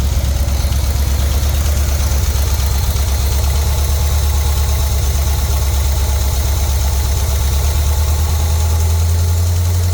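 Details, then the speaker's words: Jeep engine at low idle during carburetor and timing tuning, idle RPM unstable and a suspected vacuum leak not found. Light quick tapping from a lifter plus a rough puffing exhaust leak; valve covers to come off for a valve job. "You have an exhaust leak. Oh, yeah. And you can hear a rackety tacky tack of the lifter."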